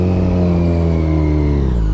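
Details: Supercharged Yamaha FZ1, first test ride on fresh gas after sitting, after a second-gear burst: revs hold high and steady after throttle is shut, then sag near the end; idle hangs, cause unknown, owner will pull the tune and data log.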